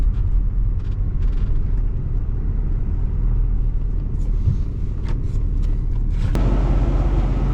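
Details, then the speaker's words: 1979 Pontiac Trans Am 10th Anniversary V8, revived after sitting since 1995, running on fresh 91 octane, possibly still burning off some old fuel. A deep, steady rumble with even firing and no miss, stumble or knock; it runs smooth. "seems to be running really good. It really smoothed out. Gosh, this thing sounds like it's fuel injected now."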